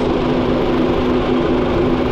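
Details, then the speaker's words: Honda Jazz (automatic), formerly seized engine rebuilt, radiator refilled, kept under 2,000 RPM; scan shows no engine errors, only radiator left to fix; smooth even idle, steady low hum, no knocks or ticks, fan whirring behind; normal idle. "Okay, radiator na lang talaga. Tahimik na sir, oh, yung makina mo."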